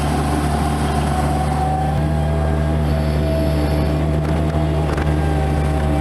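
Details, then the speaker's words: Bobcat MT85 mini loader under load; a steady mid-pitched squeal rides over the diesel rumble, only with a loaded bucket, never empty. Belt looks tight and in good shape, so the belt tensioner is suspected. "Alright, so that awful squeaking happens only under a load. It doesn't happen when the bucket's empty."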